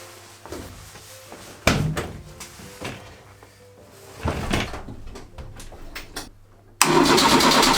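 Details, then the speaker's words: Renault 4L after cleaning and regreasing its Ducellier three-bolt starter, which had stopped working: short brisk cranking bursts, then engine catches and runs strong and even; starter works perfectly and seems to have more power. "g donc ça fonctionne nickel de démarreur fin bien mûres bruit et il a bien plus de puissance j'ai l'impression"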